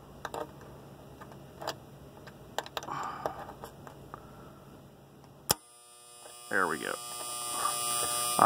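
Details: Lennox unit defrost board, heard through an ultrasonic leak detector: faint hum and clicks, then a sharp clack as the contactor pulls in after the test pins are shorted, then a steady electrical buzz; the board relay is suspected faulty.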